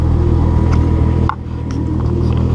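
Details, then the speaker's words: VR6 turbo engine after new intake and exhaust manifold gaskets fixed a rich bouncy idle (AFR 10, sooty plugs): deep, steady even rumble, no stumbles or surging; smooth normal idle, AFR about 12–13. "well i guess problem solve she's good the idol is perfect so i'm just gonna install the bar uh that's about it i'm hyped the idea is just so smooth"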